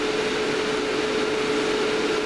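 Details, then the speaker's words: Amplifier cooling fans wired in series, airflow-measuring gadget removed: steady loud rushing air with constant mid-pitched hum; still too noisy. "i'm just going to turn it on but somebody said the other day that's still pretty noisy"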